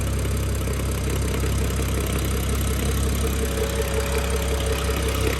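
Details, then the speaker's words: BMW F10 with N55 engine, new MFactory lightweight single-mass flywheel and 550 clutch, mic under the car, neutral around 700 rpm, not fully warm: intermittent loose uneven rattle, gear rattle from the single-mass flywheel. "i just wanted to bring you actually under the car right next to the so you can hear the rattle to be honest it's rather intermittent"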